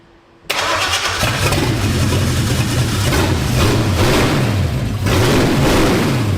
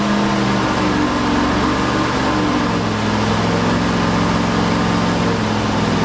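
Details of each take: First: Ford F100 turbocharged 360 FE V8 during cam break-in, after correcting spark plug wires to the right firing order for a counterclockwise distributor: cranks and catches straight away, revs and settles repeatedly, pulling cleanly with no misses; running properly. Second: Ford 360 FE turbo V8 in F100 during cam break-in: loud, unsteady running with wandering pitch, hard to start, timing never set right, overheating; timing chain likely jumped, retarding timing, pistons likely hit valves.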